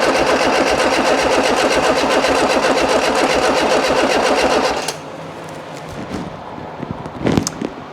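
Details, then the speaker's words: Freshly built 1330cc A-series engine in a Classic Mini, first start with 50 psi oil pressure: loud, rapid uneven firing about three to four pulses a second, then cuts out; owner suspects timing wrong, unconfirmed. "I've got the timing wrong, to be completely honest."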